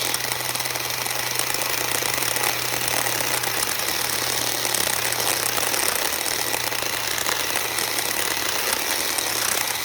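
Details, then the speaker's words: CSwid mini chainsaw, failed at day 32: thin strained whine sagging while trying to cut a small branch, won't spin up fast enough, smoking, dark rings around the motor; motor bogging under load, cause unknown. "But it won't spin up fast enough to even go through a little small branch."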